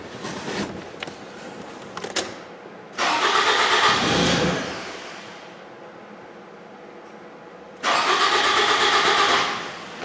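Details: 2007 Toyota Camry towed in after quitting while driving, battery on a charger: steady starter cranking at about three turns per second with no firing; fuel pump confirmed failed by a headlight-bulb load test.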